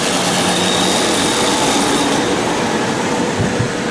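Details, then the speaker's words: 1959 IBM 729 vacuum-column tape drive on an IBM 1401, after the brush repair that cured the sparking errors, doing a fast rewind: the tape is unloaded and a dedicated rewind motor gives a steady loud rushing whir with a faint high tone at full speed. Normal operation. "Nous allons essayer un rembobinage rapide. donc il décharge juste la bande pour faire le rembobinage rapide et zip, c'est parti Et il y a un moteur spécial pour faire ça, celui la"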